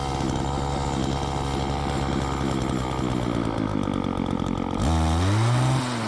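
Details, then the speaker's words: Wheeled walk-behind two-stroke string trimmer, low-speed carb screw opened half a turn, no air cleaner fitted, short string: idles steadily then snaps to high buzz on throttle without bogging; normal running. "See that? This thing runs pretty good, and it still doesn't even have an air cleaner."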